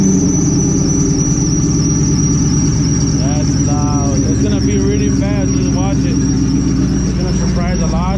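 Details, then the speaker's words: Supercharged car idling after a new belt was fitted, awaiting a tune: high, steady squeal over a lumpy idle; owners unsure which pulley at first, then point to the alternator. "Pretty much a pulley. We don't really know which one it is. The pulley, no? Oh, it's that one. That's pretty much the alternator that's doing that noise."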